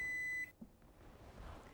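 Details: Zojirushi Home Bakery Mini BB-HAC10 bread machine: a single clear high-pitched beep of about half a second, then quiet, as the start/reset key is accepted and kneading resumes.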